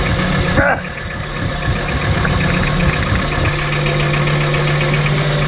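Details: VW T4 2.5 AAF: rough idle with an irregular knock a few times a second that continues as plug caps are pulled one by one, so the source is unfound; revs freely with no problem above 3000 rpm, knock heard better under load.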